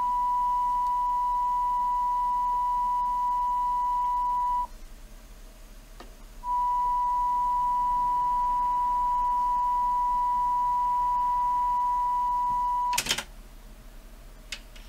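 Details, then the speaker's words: Technics RS-TR575 twin cassette deck: it plays a 1 kHz test tone, clean and steady without wavering, measuring about 970 Hz on a scope; playback sounds good. "so sounds good let's just see how stable it is"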